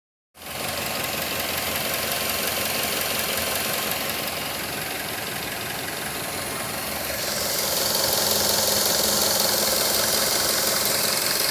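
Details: 2006 Mazda3 s 2.3 engine making a strange sound around 3000 rpm, heard better from inside the cabin. A steady high-revving hum with a hissy, buzzy edge that grows louder. Cause unknown.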